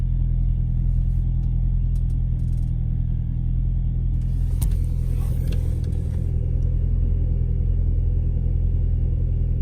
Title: Audi 1.8t cold start misfire